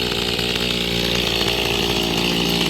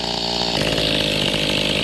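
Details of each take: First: Mantis tiller two-stroke after a carburetor fuel-pump diaphragm replacement: it buzzes evenly and revs rise and fall cleanly with no bogging or misfire; it runs healthy. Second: Mantis two-stroke tiller after a carburetor fuel pump diaphragm replacement: the high buzzy note drops into a slow, rough, uneven idle after the idle was lowered. It almost stalls because the idle is set slightly too low.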